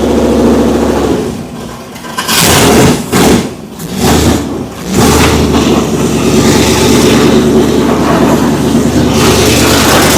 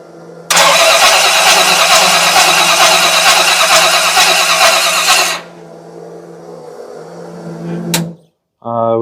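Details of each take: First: Oldsmobile Cutlass V8, motor built in 2008, first fire-up in years: lumpy V8 idle, a few sharp throttle blips, back to a steady idle. Sounds healthy and even, no leaks. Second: Oldsmobile Cutlass on carburetor, rear float bowl overfilling while the front fills slowly: several seconds of hard cranking that never catches, then a low hum. Engine flooded, fuel past the vents, plug to be pulled to check wetness.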